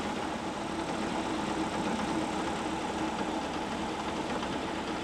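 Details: WWII Volkswagen Schwimmwagen engine after carburettor cleaning and idle mixture adjustment, propeller turning: steady even idle, smooth unbroken note, no knocks or misses; running normally.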